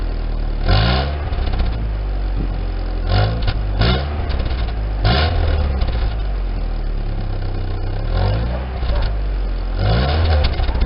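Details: 1999 Daewoo Nubira 2.0L DOHC U20SED petrol engine idles roughly and is blipped several times with an uneven beat; misfire due to an internal engine issue.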